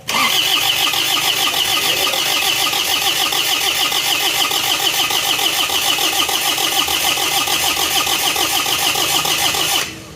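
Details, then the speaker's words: Diesel after engine block repair with new rings, liners and seals, first starts: long steady cranking about three turns a second without catching; starts once injection timing advanced; hard starting. "yo kadang agak sulit seperti ini y yo starter [Tepuk tangan] lagi agak sulit Coba kita majukan dulu timingnya"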